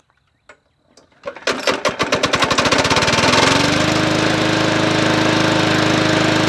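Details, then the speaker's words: $20 MTD Yard Machines 20-inch P510 push mower, Powermore engine, bought as non-running: pull start into fast busy run with sharp hard tapping over the engine note, smoking badly; something hitting, owner thinks not the blade, cause unconfirmed. "there it sounds like it's not the blade no sounds like something hitting yeah but I don't it's smoking real bad too"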